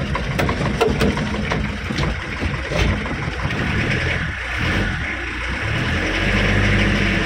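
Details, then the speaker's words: Mitsubishi L300 pickup diesel, hydraulic clutch after repair: pulls away in gear with a smooth, even drone, no judder as the clutch takes up; clutch feels very soft and earlier shaking is gone. "ya Wih mantap ini koplingnya Empuk banget Empuk banget koplingnya"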